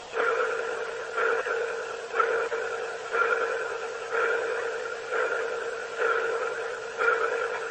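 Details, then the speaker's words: Boeing Starliner cabin speaker, recorded with the mic next to the speaker. A mid-pitched ping repeats about once a second at a steady pace over quiet hiss, like sonar. The source of the pulsing is unknown. "It was kind of like a pulsing noise, almost like a sonar ping."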